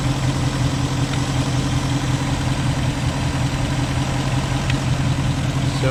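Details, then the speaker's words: 2019 Mustang GT returned to stock tune, on a drive: light quick ticking over steady V8 rumble, still ticking; owner believes it comes from the intake box or throttle body, unconfirmed. "you guys can hear it is still ticking [Music] and it's definitely out of the box or out of the throttle body so that will solve that problem"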